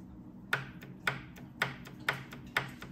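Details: J-type overdrive bench test after A-type to J-type conversion, transmission in neutral: solenoid powered from external source gives five sharp crisp clicks about half a second apart, snapping in and out normally.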